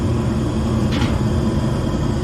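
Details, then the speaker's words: Gas furnace after replacing the transformer, control board, blower motor and capacitor: the igniter glows, then a steady low burner roar with one soft whoosh as gas catches; normal burner ignition. "blower motor okay I hear the gas controller just opener should come on next there it goes it's glowing should ignites gas here any second boom"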